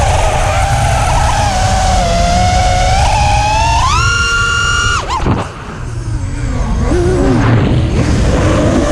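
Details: Emax 2306 2400kv drone motors, newly fitted, running hot: high whine rising with throttle over rough buzzy rumble, cutting out gritty; abnormal noise and vibration.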